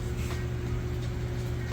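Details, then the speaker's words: Samsung VRT front-load washer in final spin, five minutes left, spinning super fast for about three minutes; steady low hum, constant tone, no knocking or thumping — normal smooth, balanced high-speed spin. "sounds great nice smooth operation and we'll let that go ahead and finish up"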